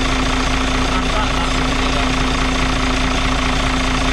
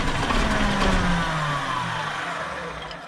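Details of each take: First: Loud, steady diesel clatter at even idle with a constant hum on top on a Dart bus, running cleanly again after running out of fuel and bleeding the fuel; air suspected getting in somewhere. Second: Dart bus diesel restarted after running out of fuel, air having got in again: barely catching and running slow and uneven near 600 rpm, pulses sagging and dying; air in fuel lines, unions need tightening.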